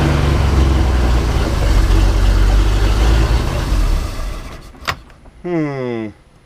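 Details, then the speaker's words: Manta Ray boat with a MerCruiser 4.3, fuel line (original since 1996) and filter just replaced: low, lumpy rumble for about four seconds, then sags and dies; later traced to a broken oil pressure safety switch. "That's my issue, is it keeps dying out."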